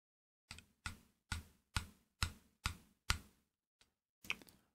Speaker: comme ça, on entend un bruit, comme une vibration et un petit choc à l'intérieur, ici au niveau du corps. Ceci vient du fait que le convertisseur est vraiment très proche de l'acrylique.